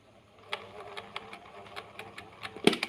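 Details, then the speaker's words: Miyako electric fan that intermittently spins and stops: uneven light rattling ticks over a faint motor hum, rough and loose rather than smooth as with a capacitor fault; worn motor bushing. "ini agak Meli kasar seperti ada kelonggaran ya teman-teman"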